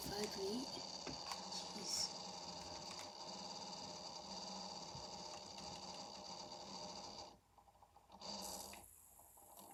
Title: Angry PC making grinding noises pt.2